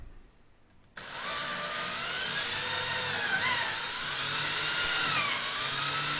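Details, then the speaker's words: Drill boring holes in wood while assembling an ITG2 dance pad replica: high whine sags in pitch a few times as the bit bites, pulling itself downward and loading the motor; bit self-feeding. "Every time you can hear the pitch lower, that means it's sort of pulled itself downward, so I'm trying to stop it and make sure it doesn't just screw itself all the way in."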